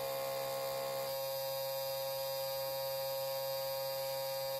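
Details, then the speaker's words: Isuzu Trooper/Holden Jackaroo 4JX1 engine with a new aftermarket alternator: the blue relay gives a steady, harsh buzz with the key on before starting, then cuts off abruptly; it stops once the engine runs. "it doesn't do it all the time it only does it when you turn the key on just before you start but once the vehicle is running it doesn't buzz sounds like a mains transformer station"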